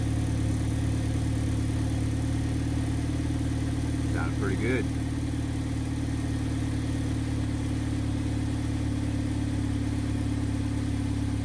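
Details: Idle at the exhaust after replacing the exhaust camshaft position sensor (P0014, limp mode; solenoid codes P0973/P0976 still suspected): steady even hum, no rough idle at stops, check engine light off; normal idle.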